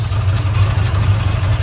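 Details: 1979 Ford F-150 Custom after sitting since 1999, restarted; it fires right up. A deep, smooth, steady low rumble with no ticks or stumbles: normal idle.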